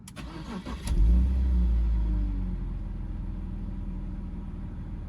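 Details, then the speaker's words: BMW with 2.5-liter inline-six and 94,000 miles, check engine light on for ambient temperature and evap sensors, no overheating: quick crank, clean catch, then a smooth, even idle with no ticks or knocks; sounds good, a normal start and idle. "All right, so now let's start it up. Show you how it sounds. It sounds good."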